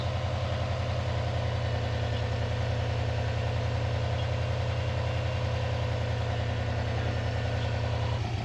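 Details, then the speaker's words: Non-AVCS JDM Subaru EJ205 boxer, restarted after reassembly, following timing belt and water pump job that had caused ticking; starts reluctantly, then smooth low even idle, zero knock, piston slap or ticking; normal idle. "That's good, but like, so it runs fine. There's zero knock or piston slap or any ticking noise whatsoever."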